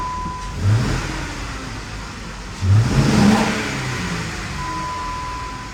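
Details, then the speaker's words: 2013 Jeep Wrangler 3.6 Pentastar V6 blips twice and settles to an uneven, lumpy idle, still feeling awful rough; flashing check engine light, P0303 cylinder 3 misfire plus circuit-open codes for all six injectors. "still feels awful rough still feels awful rough"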